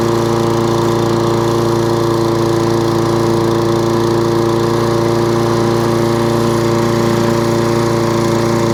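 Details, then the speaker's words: Toro Recycler lawnmower started on choke with the dead-man bail held: revs rise and fall in a quick rhythmic surge and won't hold steady; hunting and surging. "so that's what it's doing hunting a couple of hunting surge and cuts out"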